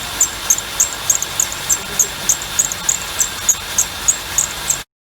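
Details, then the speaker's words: Cold-soaked engine (silent when warm): sharp, high bird-like belt chirps about three times a second over a soft engine hiss, from worn, misaligned pulleys tipping the serpentine belt; a new belt alone won't cure it, new pulleys and belt will. "The pulleys are worn and they're out of alignment. The alignment causes the belt to tip and chirp."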